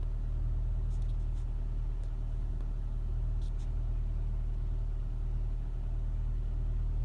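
Low, lumpy idle thrum with an uneven pulse around four beats a second; this engine is idling rough on a cold start.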